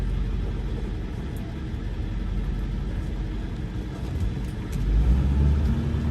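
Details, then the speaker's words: 1999 Ford F-350 Super Duty 4x4 with the 7.3 L Power Stroke diesel, 46,000 miles and an automatic, driving uphill under load: a deep steady rumble building smoothly through the gears with road noise, no knocks or slips. Normal acceleration and shifting. "this truck drives like you'd imagine a 7.3 power stroke with only 46 000 miles on a wood there's not an issue at all with the automatic transmission it's just smooth as butter from one gear to the next"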